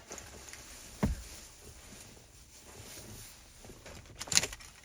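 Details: 2013 Ford Police Interceptor Utility, relay for 8-inch LED light bars on aux steering wheel switches, tested after fitting a 20 amp fuse: quiet background with two sharp single clicks about three seconds apart. Normal relay click.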